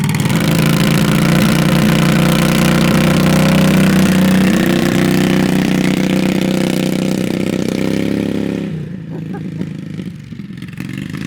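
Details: On the first ride of a Predator 670cc V-twin chopper (carbs and chokes on), the engine holds a loud, steady high-rev drone before moving off. The 3500 rpm race stall clutch on the CVT 780 torque converter makes it rev hard to move the bike.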